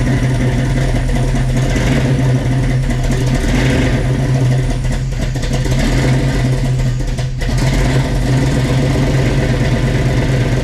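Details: 1967 Chevy Nova with a freshly swapped 350 V8 (Blueprint Engines heads, Offenhauser Port-O-Sonic intake, Trick Flow cam), heard from the exhaust: deep, steady burble at idle, even firing, no knocks or misses; healthy.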